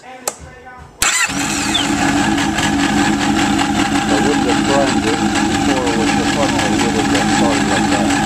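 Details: 2003 Yamaha RX-1 1000cc four-stroke snowmobile after carburetor cleaning and reassembly: brief crank, fires at once and holds a steady, even idle with no stumbling or misses.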